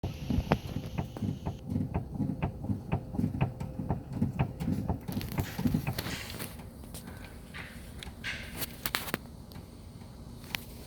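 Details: 2018 Ford Mondeo, 60,000 km, knock from the rear as the body is rocked: dull knocks about twice a second, then stop; loose rear shock absorber mount, cured by tightening it rather than replacing shocks and mounts.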